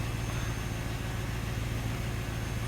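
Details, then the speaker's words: LT1 Chevrolet Impala V8 idling on its first start right after new spark plugs and plug wires were installed. A steady, even low rumble with no misses, stumbles or ticks. Normal idle with no idle issues. "Alright, let's start up right on the first try. There's no idle issues."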